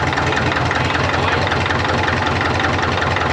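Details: 1939 Caterpillar D4 with D4400 diesel after final assembly, injectors being bled: uneven, lumpy idle at about 2.5 beats per second; number 1 injector suspected as cracking it barely changed pitch; rough idle, misfire.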